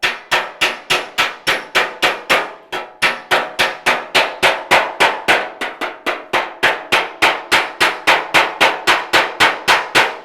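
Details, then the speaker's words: 1956 Chevy fender rust repair, hammering TIG weld on patch panel with dolly underneath pushed upward: steady blows three or four a second, each with bright clear ring; good hammer-on-dolly contact. "I'm hammering on Dolly you want to listen for that ring"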